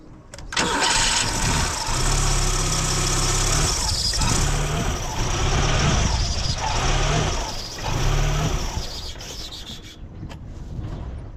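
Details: Car with camshaft position sensor unplugged while running: engine catches but idle surges and sags every couple of seconds, then dies; stalling and unstable idle.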